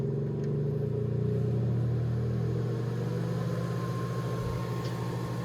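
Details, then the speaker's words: Breville Smart Oven Air Fryer Pro running on super convection with the door closed: a low, steady humming whir with shifting tones as the fan accelerates, not very loud, odd-sounding but a normal convection fan. "It's not crazy loud when the door is closed. But as you hear the fan accelerating, it just sounds weird. Nothing I've heard before."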